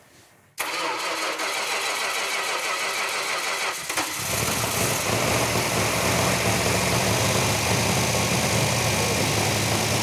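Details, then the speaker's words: Freshly assembled 1971 Dodge Challenger R/T V8 first start on the run stand, right-hand muffler left off: brief crank, quick catch, strong even idle firing on every cylinder with a slightly open exhaust note; healthy. "i mean you've got the vibration you can actually feel that engine firing on every cylinder and normally i actually even love the sound of it"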